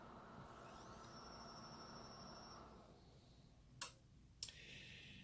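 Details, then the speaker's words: Mitsubishi XD700U-G DLP projector: it spins up with a faint whir and thin whine, never strikes the lamp, then shuts down with two clicks. The cause was the color wheel index mark not being in place. "you can see right there spins up but it never tried to ignite the land"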